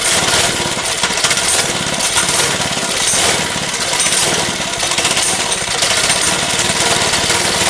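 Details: Lifan 2.5 hp single-cylinder go-kart engine with cleaned original carburetor, choke now off: surging, stumbling clattery uneven rhythm; running rough but better, owner suspects leftover old gas, carburetor leaking fuel.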